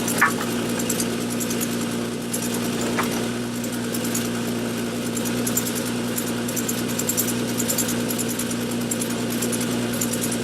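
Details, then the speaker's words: 2003 Winnebago Rialta at idle: fast faint puffing tick from an exhaust leak at the bad front catalytic converter coupling; whole coupler to be replaced. "And then the other scope of work that we're doing today is replacing these couplings that we have that have gone bad on the catalytic converter where it's leaking."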